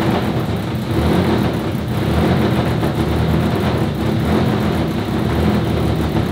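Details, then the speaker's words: RS4 Limo 2.0 project engine, warm start, while the cause of its smoking is being sought: an even, steady idle with a smooth low hum and no stumbles or knocks, running noticeably smoother and cleanly. "also gute Nachricht ist wie ihr hört läuft da schon deutlich schöner"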